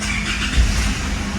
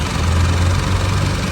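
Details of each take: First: Isuzu MU-7 with over 500,000 km, brought in for a no-start, after repair: engine catches quickly and settles to an even low rumble; noisy valve tapping suggests the timing chain needs replacing and the valves adjusting. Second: Isuzu MU-7 diesel with over 500,000 km, idling after a no-start repair: deep rumble with loud valve tapping. The engine sounds unhealthy; it needs a new timing chain and a valve adjustment.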